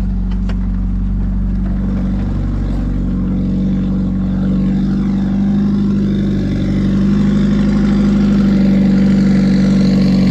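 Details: Car idling with a light, steady ticking at about four per second over an even idle. Owner believes it needs a valve adjustment (unconfirmed) and reports a gauge not working when accelerating.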